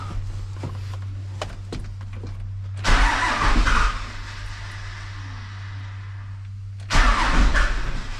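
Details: Truck with a newly fitted 4-link air suspension at first fire-up, with the fuel system unbled and a faint fuel pump at key-on: two roughly one-second bursts of cranking with a low hum between, engine not catching. Slow start, cause uncertain.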